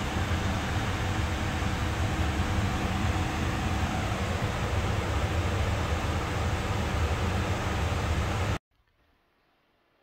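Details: New Rotec R2800 radial aircraft engine for a Kitfox project, test run: deep, even, steady rumbling drone without misses or knocks before shutdown; engine hot afterwards, run went well.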